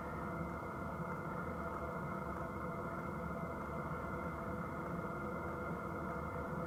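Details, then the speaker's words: Wippro 8 kW all-in-one diesel heater running on level one, lowest of 10 settings, drawing very little power: quiet steady hum with faint even whistle, no pulsing or sputter; burning cleanly, output about 140°F. "um like I said after you get it started up it just barely sips any power so this thing's super efficient and then we'll do a temp check on level one"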